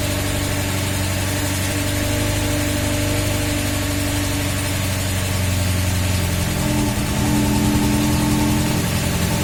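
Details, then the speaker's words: VAZ classic (2101-2107) raised on stand, after replacing the worn axle shaft bearing and adding grease, drum still off: steady engine hum, wheel spins smoothly, no rattle from axle end; bearing now sounds normal. "Вроде не тарахтит, да, с этой стороны, тогда было вообще."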